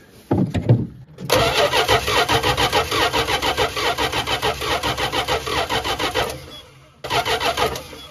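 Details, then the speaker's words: 1974 Dodge Dart Sport slant six, off the road 17+ years, with a Holley carb and the distributor set to full advance. Even cranking, two long bursts, never catches; the owner suspects missing crank power and tries choke. Cause not confirmed. "it's a really good chance we're missing crank power let's try some choke"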